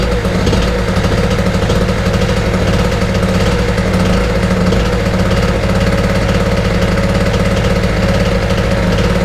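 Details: Small Wolf 950 two-stroke generator from a job lot, started after choke adjustment: steady, even buzz at constant speed with no misses or surging; normal running.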